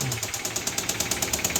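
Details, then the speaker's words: 2015 Kia Soul 1.6 GDI with 124,000 miles, check engine light on and battery on a charger, idling with a loud, sharp metallic knock about nine times a second from the lower engine. Rod bearing and piston failure. "this particular vehicle is still running but it's making a very loud knocking and tapping noise coming from the lower engine"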